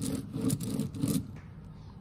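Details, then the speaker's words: XYZ ProTurn 420 lathe headstock spindle roller bearing, old race removed and cleaned, turned by hand: gritty rough pulsing rumble and felt grind from scored races, unlike new bearing; worn spindle bearing. "just hear the noise so that's probably contributing quite badly any comparison the new one you just can't you can just about hear it but you can't feel anything and this one you can feel the grind and obviously you can hear that as well"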